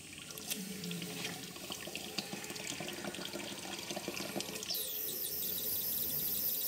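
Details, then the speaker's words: Live steam injector on a 5 inch gauge GWR 15XX locomotive, with the safety valve about to blow: the water valve is opened to cool it, then the steam valve. An even watery hiss turns to a brighter, steadier rush as the injector picks up at once and feeds the boiler. "Injector is injecting water into the boiler. I'll put this one down to beginner's luck. I opened the water valve precisely the right amount, so as soon as I turned on the steam valve, the injector immediately picked up."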